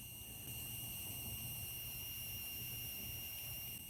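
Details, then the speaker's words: Go-kart tubular frame with the engine off, after welding engine mounts: a faint steady high whistle and hiss of air escaping through a crack in the tube. Owner assumes air inside is expanding from weld heat and plans to weld the crack. "You can hear it literally whistling and hissing out. It's kind of weird. Um I'm assuming it's just from the um air inside of the tubing expanding from the heat of the welds, but still it's kind of funny to have an air leak in your frame."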